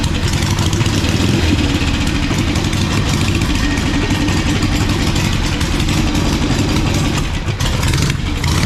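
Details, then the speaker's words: 1985 Harley-Davidson Sportster Ironhead, sat outside, just revived though the oil filter is destroyed and leaking: loud, steady, even lumpy beat, no knocks or misfires, settling into idle; sounds like a good motor. "but sounds like a good motor oil filters completely destroyed so that's that's good"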